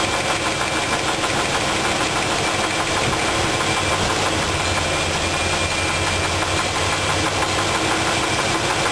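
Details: Uneven knock about three per second over the idle continues while the valves are tightened and loosened to rule out the lifter; rod knock traced to a spun rod bearing on cylinder two.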